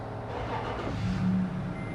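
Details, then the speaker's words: Toyota FJ Cruiser 1GR-FE V6 after timing chain job, crankshaft timed at 0, first start; catches on the first crank and settles to a steady idle with a quick rev while oil fills the lifters, no knocking or rattles. Normal start and idle. "Ayan, one click mga boss. Pababain lang natin ang count, ay patakyatin lang natin ang oil para pumasok sa lifter para mawala yung unang"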